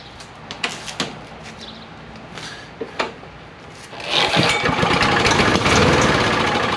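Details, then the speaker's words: A few sharp pull-cord tugs on a John Deere JS63C push mower with a 6.75 hp Briggs & Stratton OHV engine, once locked up; then it catches and settles into a steady, fast putter on little fuel. Normal start and run. "All right, well that's good news, guys. We're gonna leave it there for now. It runs and it sounds good off the little bit of fuel it has,"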